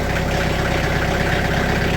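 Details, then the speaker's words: Sawmill diesel, just over 30 hours, cold start below freezing in Wisconsin after two weeks unused, glow plug held about 10 seconds: two little stutters, then steady even low chug idle, running smoothly. "And again, that's a cold crank right there. Did 2 little stutters, but after that, she's purring good."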